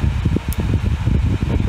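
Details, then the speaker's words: Dyson Hot and Cool fan heater after PCB repair using donor boards (motor controller chip had blown, taking out the microcontroller), heat set to 37 degrees, speed ramping up; low, soft whoosh with gentle flutter, no rubbing or rattle; normal running. "so we'll set that to 37 and starting to ramp the uh speed up there"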